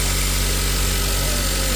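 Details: Nissan X-Trail T32 with charging issue and dead battery, idling after drive belt replacement, battery showing about 13.9 V; steady, even idle hum with no knocks, squeals or belt chirp, constant pitch; normal idle.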